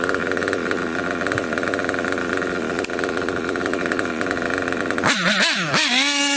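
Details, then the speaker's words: Kyosho KE25 Big Block nitro engine, tank topped up to half, after setting the high-speed needle and before the low-speed needle: high-pitched steady buzz with crisp climbs in pitch on throttle, no cutting out, good smoke trail. Healthy running. "Yep. Seems about right there. It's no cutting out. Still getting a good smoke trail. Good performance."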